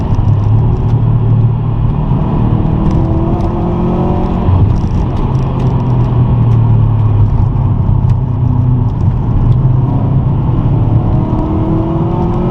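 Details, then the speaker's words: 2006 Subaru WRX Hawkeye with aftermarket cannon-style exhaust, cruising: steady deep, throaty exhaust drone under road rumble, not too loud, sounds healthy; owner suspects a slight exhaust leak somewhere. "uh this is an actual exhaust and it sounds okay it doesn't sound too loud it's not too obnoxious so i don't mind that"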